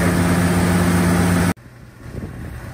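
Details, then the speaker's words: 1946 Chevy pickup with mechanical fuel pump, idling after the soft fuel line from pump to carburetor was replaced with a hard line; smooth, steady low idle with an even tone, then a clean shutoff; running well. "firing up nicely now. Got the gas primed in there and turn it off."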